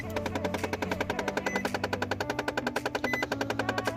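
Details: Nissan Frontier at key-on: rapid, even clicking three or four a second from an HVAC air door actuator ratcheting past its stop in the air vent system; proper fix is replacing the relevant door motor.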